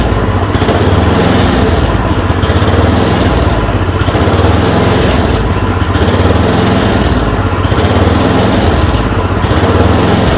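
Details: Yard Machine 826 snowblower (8 hp, 26 in cut), just fitted with a dual belt: a fast, steady single-cylinder buzz with an even beat and no misses or surging after the idle screw was adjusted. It runs normally.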